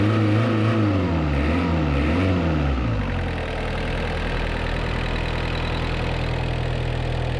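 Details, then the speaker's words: 1986 Suzuki Samurai turbo diesel after replacing the leaking injector pump with a rebuilt one: brief rev, then a steady, even idle with a smooth low rumble; smoothest it has ever run, smoke nearly gone, some blow-by; normal idle. "that is the best and smoothest this engine has ever ran even the smoke it's like non-existent"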